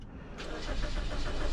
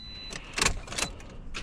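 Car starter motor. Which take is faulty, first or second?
second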